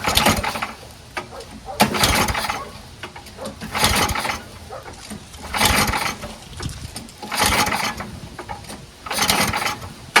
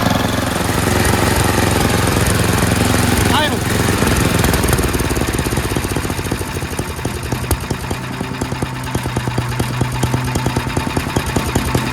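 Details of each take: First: MTD Yard Machines 824 snowblower with 8 hp Tecumseh Snow King engine, on choke at high throttle, leaking fuel: repeated recoil pulls about every two seconds with no firing; no start, dirty carburetor. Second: Yard Machines MTD 824 snowblower, 8hp Tecumseh Snow King single-cylinder, after Sea Foam in fuel, idle screw and governor-throttle linkage adjusted; steady putter about 160 beats a minute, no hunting or surging: normal idle.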